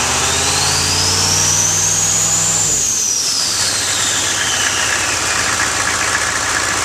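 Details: 1995 GMC Suburban 6.5L turbo diesel with new HX35 Holset clone turbo, warmed up and revved: high whistle climbs with revs and fades as they drop, turbo spooling freely; normal turbo whistle on rev.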